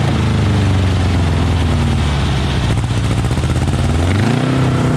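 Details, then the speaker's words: Volkswagen Beetle-based Model T kit car, sat about 30 years, running without a carburetor fitted and with a leak from the valve cover: surges and sags with lumpy, uneven firing and can't hold a steady idle. "it's not gonna idle right till we get a carbureted on it but we will be at least able to hear it run"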